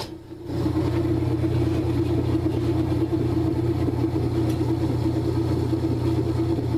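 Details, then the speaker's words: Kenmore/Whirlpool washer after replacing broken motor coupler, lid switch bypassed: steady even motor hum with drum spinning smoothly, no knocking, scraping or grinding; normal spin. "there we go look at that and the washer is spinning"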